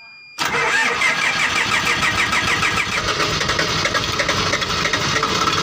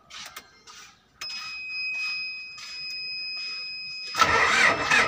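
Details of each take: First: Diesel engine that had been hard starting. Silence, then it catches almost at once and settles into a steady, busy idle with no stumbling. A clean start. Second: Diesel engine: uneven cranking lasting seconds before catching with a rough burst; hard starting, long cranking, cause suspected, not confirmed.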